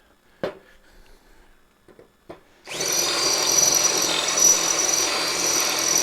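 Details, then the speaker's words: 1959 Ford F100 (302ci V8): drill bit slowly cutting a 1/8-inch-thick steel battery tray, a few taps then a steady high screech; a dull bit is suspected. "that squeaky noise is killing me i don't know if you guys can hear the"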